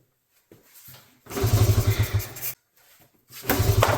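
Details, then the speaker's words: 1986 Honda TRX70 single-cylinder ATV, first start in years, fuel leaking: two short bursts as the engine catches and putters unevenly, then drops away; it fires and actually runs. "now see nice all right well there we have it it actually runs"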